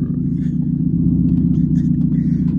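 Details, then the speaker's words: Minivan with catalytic converters stolen, cold start in the morning: loud raw droning rumble with deep throb and no muffling, like an open pipe, due to the missing catalytic converters. "[ __ ] sound like a monster truck bro"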